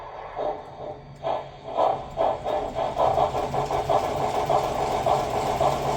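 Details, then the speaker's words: Lionel 6-38071 Southern Pacific AC-12 Cab Forward on the test track after Odyssey speed control repair, powered by a CW-80: light even rolling with soft regular ticks about two per second, steady level; runs smooth, no surging. "all right hey that is smooth as butter let's wind it up a little bit"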